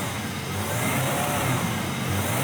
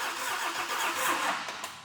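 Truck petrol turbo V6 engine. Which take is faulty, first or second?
second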